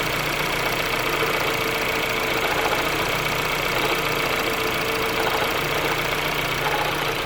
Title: Ford Focus Weird Noise